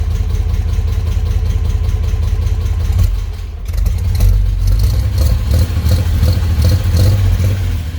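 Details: Truck engine now fitted with a newly added hot-rod exhaust where it previously ended at the engine: deep, burbling low idle rumble swelling cleanly on a short rev, no ticks or clatter; engine and exhaust sound healthy.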